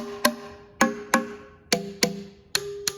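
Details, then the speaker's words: 1956 Chevy 265ci power pack barn-find engine with the exhaust manifold off, turned by hand: a sharp, hollow-ringing tap on a valve through the exhaust port about once a second. The hollow sound means the valve is free and moving. "so one way I've always told to check them is if you just tap on them. Let me do this side, it's more room. And you can hear that hollow sound."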